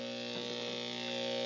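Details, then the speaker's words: Studio speakers at full, volume knob at -20 dB, mixer channel up, EQ mids boosted around 500 Hz, nothing plugged into inputs, meter at -60 dB: loud steady mid-range buzz and hum; mains hum in the chain. "very faintly if I turn it up to zero you start to hear a little hum and some fluttering"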